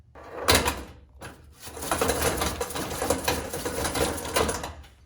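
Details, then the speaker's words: John Deere / Brinly 42-inch lawn sweeper after drive hub repair (wheels turned but brushes didn't spin): quick run of dry ratcheting clicks, pawl catching and locking cleanly on each side; drive engaging properly. "All right, so for my repair, we can now see that it actually locks up on that side."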